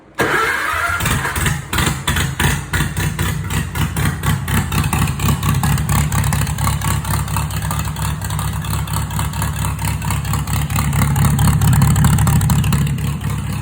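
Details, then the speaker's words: Farmall H tractor, first run after PTO, rear gearbox bearing and drive repairs, new gas tank and rewiring, with a recharged battery: cranks briefly, catches quickly without choke and settles into a steady, even low idle with no knocks or misses. "So I'm going to try starting it up now. It sounds like we don't need the choke on this puppy, so"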